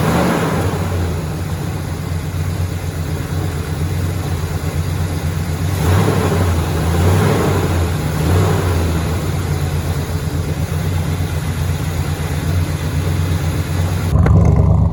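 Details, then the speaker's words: 1966 Chevy big-block truck with new starter and battery, fed a little gasoline: deep, steady rumble at fast idle with a couple of gentle revs, running evenly with no knocks or misses; normal running. "it doesn't sound too bad actually now that i listen to it"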